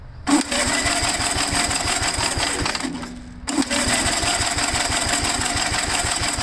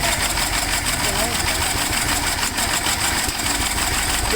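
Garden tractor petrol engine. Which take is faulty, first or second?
second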